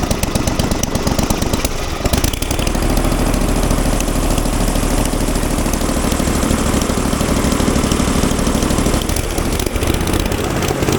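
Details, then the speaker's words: Falcon four-stroke paramotor trike on a new NOCO lithium LiFePO4 battery: short crank, catches at about two seconds and settles into a fast, even, rattle-free run; normal, healthy running. "sorry for how loud it is but I guess that uh that thing has plenty of juice"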